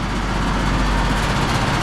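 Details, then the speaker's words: Split-system heat pump condensing unit, compressor running with warm suction line and condenser fan on; loud constant low rumble with buzzy shaking, the unit shaking like crazy; excessive vibration. "So the compressor is actually running in this thing. This thing is shaking like crazy."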